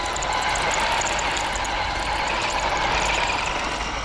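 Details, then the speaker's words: Tamiya Bigwig RC car on its first run in sand and grass: a thin, steady high squeal over motor and tyre noise. Owner thinks the front sits too low and is binding, and plans spacers to raise it; cause unconfirmed. "A lot of squeaking going on with this car. Definitely need to raise the front up with some spacers because it's really bad."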